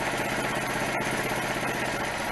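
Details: 1971 Citroën M35 prototype on a 2CV-derived chassis, with its NSU/Citroën single-rotor Wankel engine started on the bare chassis: smooth, even idle with a steady hum and no knocks or misses, cooling fan running; healthy.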